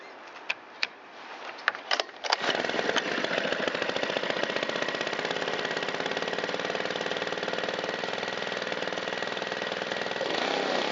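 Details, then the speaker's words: Shindaiwa EB254 Hybrid4 4-stroke handheld blower that sat long and wouldn't start. After cleaning the air and foam filters and fitting a new fuel filter (valves not adjusted), a few pulls, then a steady, even, high-pitched drone. Runs clean and smooth, like new. "Well, other than the fuel tank grommet, I would say this is done. It runs fantastic and it's in like new condition, with a little bit of dirt on it."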